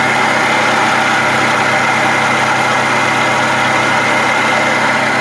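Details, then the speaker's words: 2010-2017 Toyota Camry 2.5L 2AR-FE four-cylinder at idle: constant gritty whir over the engine, no knock, coming from below the alternator; worn water pump bearing, pump to be replaced. "the noise is not coming from the motor itself coming from down here underneath your alternator is your water pump it's a common noise on these COA products"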